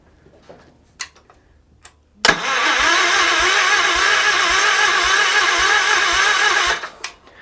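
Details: Wheel Horse garden tractor with the battery wired directly and the spark plug installed, compression not yet checked: about four seconds of steady, rhythmic cranking that never catches. The engine turns over but won't start, with no spark.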